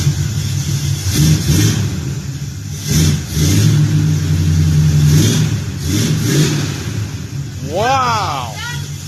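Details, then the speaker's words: 1967 Camaro V8 just after an MSD ignition install: a deep, even rumble with a few quick throttle blips and no misses or knocks, running clean. The timing may be a little advanced. "look how beautiful it runs bam yeah it sounds like the timing is maybe a little bit Advanced when you started it that sounds beautiful MSD all the way"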